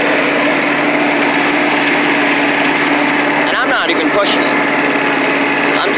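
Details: Old Rover Turbothrust mower made in Brisbane, Australia, at full throttle: a high, steady leaf-blower-like buzz with no stumbling or misses; runs well, normal full-throttle running.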